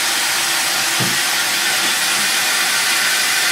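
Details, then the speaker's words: Toilet after fill valve replacement: steady strong rushing whoosh of water, no whistle, tank filling quickly with supply fully open; normal refill. "oh yeah hear that whoosh instead of the whistle and the Tank's filling up nice and"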